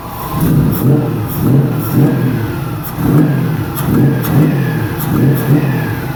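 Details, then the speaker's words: 1999 Nissan Frontier VG33E turbo first startup, no coolant or radiator, after ECU timing and air-fuel changes: idle surges about once a second, never settling, running too rich with smoke; air-fuel to be raised toward 14. "looks like it's actually running a little bit too rich have some smoke coming out of there"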